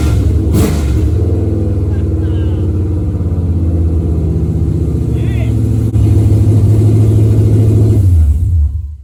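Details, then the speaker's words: Hemi V8 swap with fuel pump triggered off the main XFI box, first fire-up: loud catch into a lumpy, deep thumping idle that holds steady, then shuts off cleanly; healthy start and idle. "Bam! We got her. She sounds like a top fuel car!"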